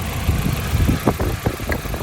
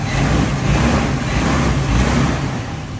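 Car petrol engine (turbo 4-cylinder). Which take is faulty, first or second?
first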